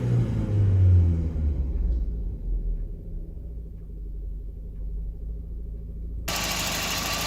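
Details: Volvo 940 B230FK turbo engine, 0.8–1.0 bar: low idle rumble that wavers and lopes unevenly instead of holding a steady beat; rough idle.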